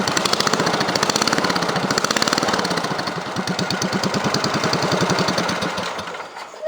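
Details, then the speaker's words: Cub Cadet 3050 4WD tractor with barely any muffler, before glass pack rework: rapid, rough exhaust popping about three per second that rises harsh and loud when revved. It sounds fine at idle; cause unclear. "I like the way it sounds idle. It sounds pretty good. But when it revs up, I don't like it."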